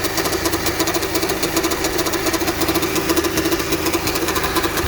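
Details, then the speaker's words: Honda at idle with hard steering and clunks when turning left: rough rhythmic ticking and grumbling from worn power steering pump bearings; the pump is not assisting the steering. "you can clearly hear the bearings even though you push the steering uh you turn this turn to the left the pump is not helping the steering"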